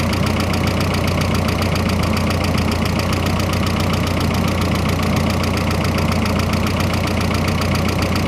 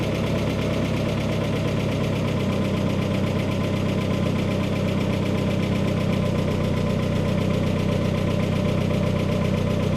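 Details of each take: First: Freshly rebuilt engine on first start-up: a loud, uneven clatter at about 220 beats a minute over the idle, barely quieter with the hood closed. This is a noisy idle of unclear cause; the owner hopes it just needs break-in. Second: Freshly rebuilt turbocharged engine on first start, freshly painted, some smoke from oil burning off the turbo: a steady, even idle with a smooth low rumble and no knocking or misses, settling in as it warms; a healthy idle.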